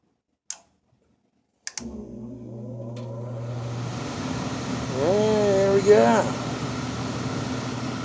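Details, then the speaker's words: Goodman furnace just after a new blower motor was fitted, from silence to spin-up. Steady, even hum, quieter than before, and the earlier rubbing noise is gone. Normal blower operation after repair. "but the blur mode is running and it's quieter than it was before too it had a little rubbing noise before or something i don't hear that now"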